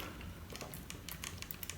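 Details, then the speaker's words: Panasonic Lumix GH5 camera shaken with Gorillapod base plate removed: quick irregular light clicks and ticks from something loose inside; owner suspects the floating sensor, unconfirmed. "there's still something shaken and it's not least I've removed those little catches on there I removed those ages together"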